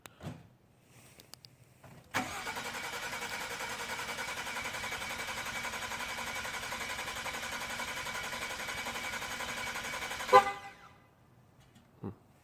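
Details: 2016 Ford F-150 2.7 EcoBoost, two weeks and 600 miles after purchase, broke down in driveway: starter cranks evenly for about eight seconds but engine never fires; cranks but will not start.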